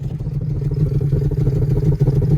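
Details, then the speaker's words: VT Commodore V6 first start-up after sitting dry, service due at 260,000: deep lumpy uneven rumble, stumbling and wanting to die when revved; owner assumes mufflers or exhaust blocked; rough running. "Now it's having a hard time. I'm going to assume the mufflers or the exhaust is blocked with something here. It's coming out. It's not happy"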